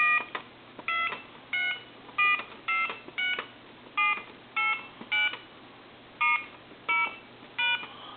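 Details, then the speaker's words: Mickey Mouse AT&T telephone after keypad cleaning, final checkout on a line with volume turned up: dial tone, then about twelve clean even dual-tone beeps, each key steady; keypad working properly. "You can hear we have dial tone, and I'm going to go ahead and dial our numbers."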